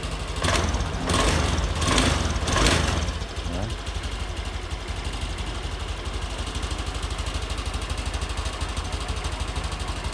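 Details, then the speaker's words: Honda Scoopy (2023 or 2024) after fuel pump repair, pressure normal at 40: after a few blips the engine settles into an even, steady idle with no hunting or stumbling; runs smoothly. "Kita coba hidupkan ya. Nah, normal. Oke. Enak kan? Suaranya pun enak."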